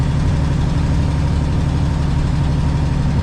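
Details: Aerodyne cabover truck diesel, exhaust manifold gasket blew out: deep idle with loose ticking about four per second under the rumble, truck otherwise running; exhaust manifold gasket leak, first suspected turbo.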